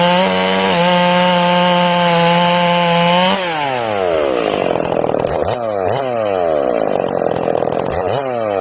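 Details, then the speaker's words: Ported Stihl MS461 with rev-limited coil, carb tuning check: screams steady in the cut, then breaks into uneven burbling four-stroke on entering and lifting out of the wood, indicating a sound carb tune. "i'm gonna hit the wood okay you'll hear it four stroking when it hits the wood"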